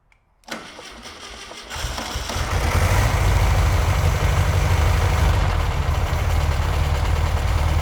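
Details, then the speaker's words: Dune buggy bought for $650, first run after jump-start, timing possibly set wrong: settles into a loud rumbling run with a steady knock about three per second; engine knock, dirty oil, cause unconfirmed. "well it's running we definitely need to do an oil change though cuz it's knock on Heaven's Door just begging to come in"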